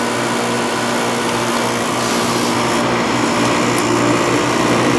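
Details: Window air conditioner warmed with a heater in front, with worn rubber compressor mounts: a constant high buzzing hum with a coarse rattly edge from the cabinet, as vibration passes into the case. It still cools ice cold but uses a lot of power.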